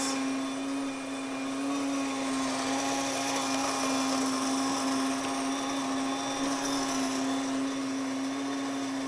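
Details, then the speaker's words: Grain mill grinding 2 cups red and 1 cup white wheat berries: steady high motor whine with an even gritty rush of grain, no surging or stalling; normal grinding. "I'm gonna let that finish grinding."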